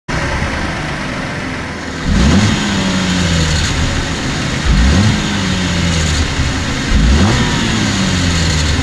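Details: 2014 Cadillac CTS V-Sport, 61,000 miles, revved in neutral: brief tinny rattle each time the throttle is released and boost drops; suspected turbo rattle, dealer says everything is fine.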